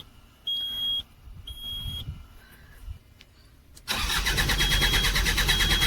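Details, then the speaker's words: Bobcat diesel loader that died while working, no start: two beeps then starter cranks steadily without catching; diesel fuel pump gets no current so no fuel is delivered, traced to a blown fuel pump fuse. "इसका pump का switch काम नहीं कर रहा लगता है देखना पड़ेगा य डीजल नहीं पास कर रहा है इसलिए स्टार्ट नहीं हो रहा है लंबा सेल्प ले रहा है"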